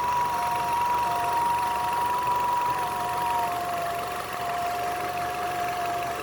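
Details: Nissan Altima, fully warmed up at idle: thin steady whistle that slides down and settles lower, caused by a collapsed PCV hose.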